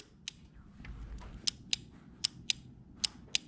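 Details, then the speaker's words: Yamaha V-Max fitted with an air shifter and line lock, engine off; the newly wired kill button's relay gives sharp, crisp clicks at irregular intervals with each button press: normal relay click. "I'm gonna show you about this here button. Now if you hear it click,"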